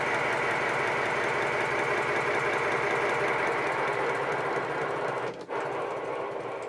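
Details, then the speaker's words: 7¼ inch gauge 0-4-0 tank steam locomotive built 1996, regulator opened after boiler pressured up (about 50 psi): quick even chuffing about three to four beats a second with steady hiss, smooth and regular; normal running. "I put about £50 per square inch in the boiler, and when I open the regulator,"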